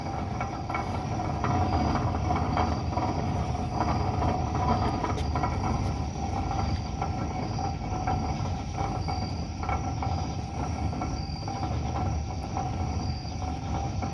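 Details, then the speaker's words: Truck rolling at under 10 mph: a steady low roar with a faint droning tone from badly worn wheel bearings. "this truck has absolutely got trash wheel bearings take a listen your wheel bearings definitely should not roar like that never"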